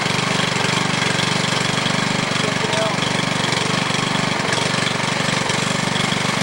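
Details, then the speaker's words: New MTD Yard Machine walk-behind edger, Powermore 140cc OHV four-stroke gasoline engine, first-ever start: quick easy start, then a brisk, even single-cylinder putter about four beats a second with no stumbles; healthy normal idle. "real easy to start that was the first time that's ever been started"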